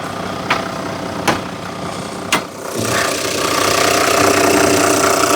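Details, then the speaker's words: 2000 Toyota Land Cruiser VX100, started up: three loud starter cranks, then the engine catches and settles into a steady, even idle with no irregular knocks. Normal idle. "Buat mendengarkan suara gurih mesinnya kayak apa, pengen tahu? Kita langsung starter agar teman-teman bisa lebih dekat dengan suara kegurihan dari mobil mesin Land Cruiser ini."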